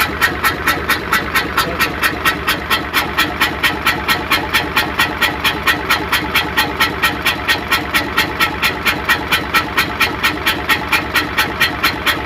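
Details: Hino Euro diesel truck with smoke and missing complaint, idling after start: steady chuff-chuff about two beats a second in time with idle, which the mechanic attributes to dirt on the valve seats; valve seat leakage.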